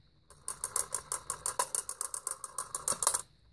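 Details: Vintage Vulcan Autosonic Mk. 30-A (VA-M-30FT) windup heat detector bell whose reset piece won't stay in: fast metallic ringing, about eight to nine strokes a second for nearly three seconds right after reset; tripping by itself.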